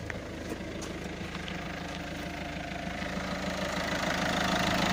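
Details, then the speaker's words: Citroën C5 1.6 HDi 110 diesel at 190,000 km, after the tappets and both camshafts were replaced with used ones to cure an idle ticking. Steady, even idle clatter with no extra tick: normal idle. "je pense que là c'est reparti pour un petit moment voilà allez je vous fait écouter ça voilà plus de bruit"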